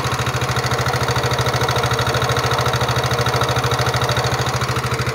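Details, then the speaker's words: Yamaha NMAX 2019 scooter recently repaired with a new piston and cylinder block, now with a harsh, even ticking at about three beats a second over idle from the main engine. Rough ticking engine noise. "motor teman-teman nmax suaranya kasar pada bagian mesin utamanya"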